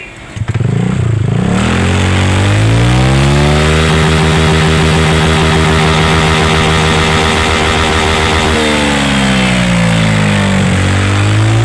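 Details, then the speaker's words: EDV 150 (fuel-injected automatic scooter) with open pipe, after cleaning dirty parts to cure misfiring and heavy vibration: engine starts, holds steady fast idle around 2,100 rpm, then revs up and down smoothly; normal idle. "yung RPM nito ayan nasa 2.1 na. So itataas natin yung RPM."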